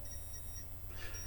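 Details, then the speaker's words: Minolta Disc 7 camera (1983) self-timer still beeping, original lithium battery over 40 years old (rated 5-year life) and on its last legs; faint high chirps repeat about every half second over room hum, countdown working normally. "hear it beeping away there and in a moment it will give us now as you can hear that uh battery is most definitely on its last legs"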